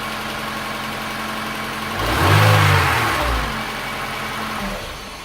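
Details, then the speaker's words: Honda Integra DC5 / Acura RSX base model with whine, alternator already swapped: serpentine belt removed, engine started briefly, revs then settles with no whine, so noise is in power steering pump, water pump or AC compressor. "okay so with the belt off the sound has gone"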